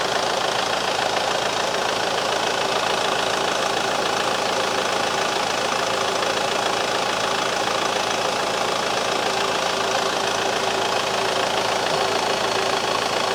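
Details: Mercedes C-Class after engine refitted and reinstalled, no oil leaks: smooth, even idle with steady hum, no knocks, ticks or misses; engine sounds healthy and settled.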